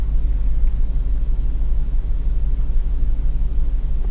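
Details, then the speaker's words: 2004 GMC Yukon in its 16th year, check engine light, code P0300 multiple misfire, rough idle and power loss: idle drops off, bounces and almost stalls; deep wavering hunting rumble; owner plans Seafoam fuel additive, cause unconfirmed. "as the idle will drop off and it'll start to bounce around and it feels like it's almost going to stop"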